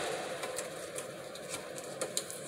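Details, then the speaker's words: ReVent condensation-sensing bathroom exhaust fan, wired to a cord for a bench demonstration, running with its backdraft flapper still held by shipping tape: soft steady hum with irregular light ticks and flutter as the taped flapper rattles. Removing the tape quiets it. "that's why it was making more noise so you want to make sure you take that tape off so you can you can hardly hear that fan if it's up in the ceiling you're not going to hear okay"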